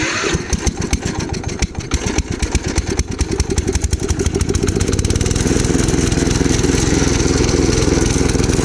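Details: Gravely Commercial 12 34" Snow Cannon snowblower, cold start after about a month unused, on choke: ragged, uneven firing, surging and stumbling before half-settling; owner suspects fuel, possibly ice in the carb bowl; suspected fuel starvation.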